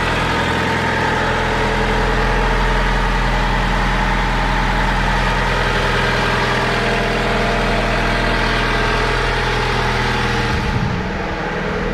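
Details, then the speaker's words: Older Honda with check engine code P0135 (needs an O2 sensor), running pretty well: a smooth, even idle with a steady low hum and no knocks or ticks. Quiet and healthy. "so it sure needs a uh O2 sensor but as you can hear this thing is this thing is pretty quiet"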